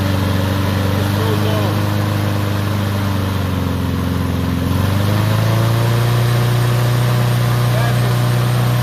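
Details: Troy-Bilt mower with Honda engine, after carburetor cleaning and draining water-contaminated fuel (fresh gas), previously would not start: steady single-cylinder note at a fast even pace, settling slightly higher, no misses; runs cleanly, RPM noted high.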